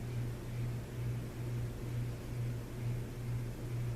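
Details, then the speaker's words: 1993 Hampton Bay Landmark first-generation ceiling fan on a garage test mount: steady low hum with slow regular pulsing under the airflow; hummed even without the light kit, cause unknown; motor hum. "You'll be able to hear that hum. It's not because of the glow, because it hummed without the light kit in Habitat."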